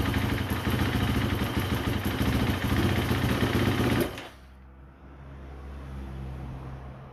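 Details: KTM Freeride 350 that starts only with throttle, dies when revved and stays on only seconds when cold, idling better as it warms: single cylinder chugs unevenly about four seconds, then cuts out abruptly; rough idle and stalling, cause undetermined.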